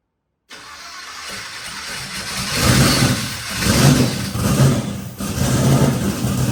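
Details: Twin turbo Nova engine after flipping the reversed coil wiring on one bank: catches and settles into a deep, fairly even rumble with a couple of rev rises, now on both banks; idle air-fuel still untuned.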